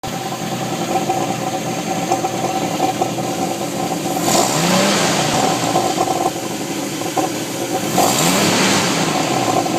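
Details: 1989 Jeep Wrangler YJ with 4.2L (258) inline-six idling and revving with irregular sharp pops about three a second through the pulse air system; likely caused by improper timing and fuel delivery, cured by Motorcraft 2100 carburetor conversion and timing adjustment.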